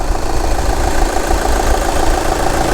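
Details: 2011 VW Sportwagen TDI at idle before repair, leaking diesel from the front right: heavy, shaking, stumbling idle, "like a 1970 semi"; owner suspects the leaking auxiliary fuel pump is drawing air into the fuel system, later confirmed the faulty part.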